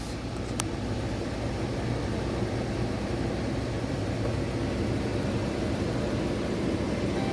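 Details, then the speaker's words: 2015 Dodge Charger, automatic, after no-crank/no-start repair (battery reconnected, damaged wiring fixed): steady, even low idle rumble with no misses, knocks or ticks; engine runs normally. "So okay na. Start na siya guys."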